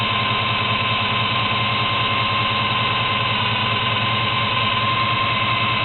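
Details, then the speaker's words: 1972 Chevy Monte Carlo, small-block 350 V8 on its existing carburetor (not dialed in) before FiTech EFI install, faulty factory starter: steady idle with a thin constant high-pitched whine over it; whine source still to be tracked down. "so the car is a little loud and also I'm going to be tracking down that whining noise"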